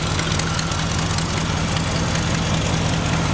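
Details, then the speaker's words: 1992 Ford Ranger with 302 5.0L V8 swap, 94,000 miles, revving and idling: lumpy V8 rumble with sharp uneven ticking puffs on top; exhaust header leak, possibly several, runs well otherwise. "it's got a header leak or two or eight definitely hear the header leaking"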